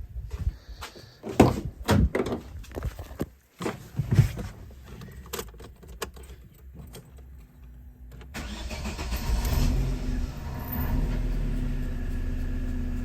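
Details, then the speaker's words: Opel Astra H engine after replacing the ignition coil module for a cylinder 2 misfire (P0302): fires and settles into an even, steady run with no misfire, responding well to throttle; slight hesitation on LPG needing adjustment. "Ага автомобіль точно не троїть чудово відзивається на педаль газу"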